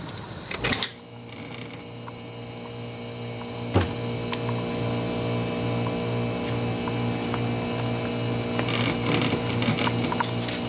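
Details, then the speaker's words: GE Nautilus dishwasher after removing wood piece from drain/chopper area and reassembling: a couple of clunks, then steady even motor hum with water filling and draining, no stuck buzzing; normal pump motor running. "so the motor's turning that's good water's filling up as you can see water is draining as well too yep seems like everything is working right now back to normal"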